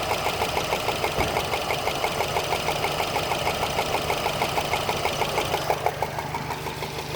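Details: 2013 Subaru Impreza WRX idling with a loud, regular ticking of about three ticks a second over the engine hum, like a golf ball sliding around inside the engine, near the turbo; source not found.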